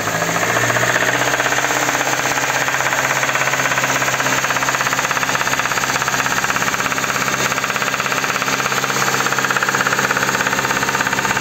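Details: Kia K5 petrol engine before repair: sharp, regular metallic knock roughly three per second hammering over the running engine; worn connecting rod bearing knocking, later replaced from below without engine teardown.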